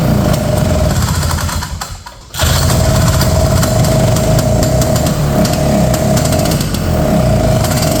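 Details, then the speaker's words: 1970 Ski-Doo Olympique 335 two-stroke snowmobile with its carb jets being adjusted: rough, blubbery note that nearly drops out, then picks back up and stumbles on throttle; too rich with the high-speed jet open, owner suspects leaking carb diaphragms or check valves. "So basically, I think what's going on is some of those little diaphragms in there and stuff I think are kind of leaking. So, we've kind of got a bunch of like check valve systems in there. And we're getting way too much gas when that uh high-speed jet is open."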